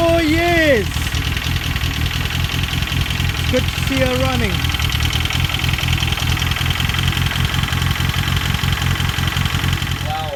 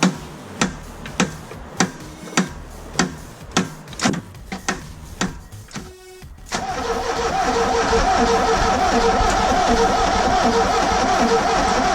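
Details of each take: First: Ford Escort RS Turbo started after years sitting, on a temporary substitute fuel pump; owner had feared the engine was seized: steady, even idle with a soft regular pulse and no knock or misfire; normal idle. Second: Ford Escort RS Turbo revived after years of sitting, spark confirmed and fuel line redone: steady cranking about 100 strokes a minute with no firing, then a loud blower; fuel pump can't be heard priming, no fuel delivered, crank no start.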